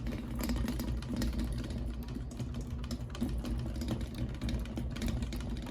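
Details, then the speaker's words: Flush-mounted three-blade ceiling fan resembling a Hampton Bay, with globe: a fast, uneven buzzing rattle over a steady motor hum; the owner suspects loose blades, then the chain or the motor housing. "rattling but it's the blades are rattling I must have not put them in tight tight enough"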